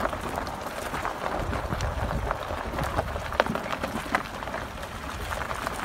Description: I have a brand new 2017 Colorado Z71 with 2500 miles and it’s squeaking like crazy from the rear.